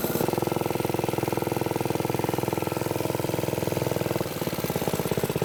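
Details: Briggs & Stratton-powered "Piglet" minibike, rusty rescue project run with choke after clutch prep; the idle may be set a little high and the sprocket has bad runout. Quick, fairly even single-cylinder chugging with a slight dip near the end; it runs but is sketchy.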